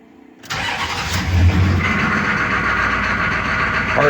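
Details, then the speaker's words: 1994 Chevy K2500 6.5 turbo diesel after installing Powermaster starter, fully charged batteries, after glow plugs: quick strong cranking, spinning faster than old starter, catches almost at once into steady diesel run; normal fast cranking and start. "any smoke or anything turned over very fast still coming up from charge after the glow plugs come off and it is true that this time that the batteries were completely charged but uh that starter just spins so much faster than the big box starter"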